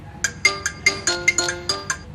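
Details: Mi Note 5 phone after ringer repair (IC replaced and reflowed, resistors refitted), previously crackling from a bad ringer: clean bright ringtone, about ten evenly spaced chimes over two seconds, no crackle or dropout; speaker working normally.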